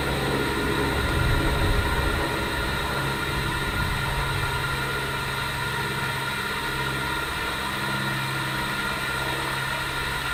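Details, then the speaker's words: UV packer being loaded and inflated for a 6-inch pipe point repair: steady rushing air with a low even hum, no knocks or bursts; packer inflating and unrolling normally. "sometimes you'll actually hear the tape banging in from the pipe when it snaps, and you can hear the boom, boom, boom as this tape unrolls."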